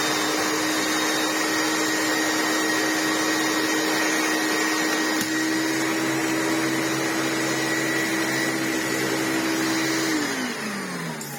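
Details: Restored Philips U800 vacuum cleaner after motor overhaul, washed motor fans and HEPA-flo bag: steady high motor whine with even airflow rush, no rattles or scraping, smooth spin-down; motor healthy.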